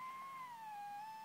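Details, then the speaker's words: HamCan transceiver on first power-up, transmit oscillator heard via an FT-817 receiver: steady beat tone near 1 kHz sags and drifts in pitch; warbly, unstable oscillator about 2.3–2.5 kHz off nominal crystal frequency. "so that seems fine it seems like it's oscillating the tone is uh not particularly great sounds like a little warbly to me and"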